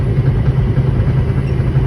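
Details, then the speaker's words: 2010 International semi truck, about 828,000 miles, automatic, on the gas: deep drone with loose, uneven grinding metal clank, worse under acceleration and steering right, slight steering-wheel vibration; cause unknown, gearbox or steering suspected. "it you hear that grinding metal clanking noise we're not under acceleration you don't feel it so much or here so much but it's worse went under acceleration when it's under stress"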